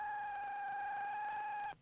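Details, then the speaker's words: Vehicle-mounted ham radio transceiver: steady high whine at idle over the radio audio, cutting out sharply when engine stops; alternator whine. "Alternator whine. Oh, that's a tough one to identify, but it's an easy one to cure."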